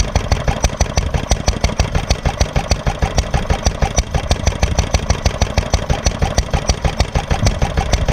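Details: Granddad's 1946 International Harvester LB hit-and-miss engine, restored, started cold, at full speed about 1,000 RPM as specified: strong, even thumps about three a second with crisp exhaust bark; normal hit-and-miss running.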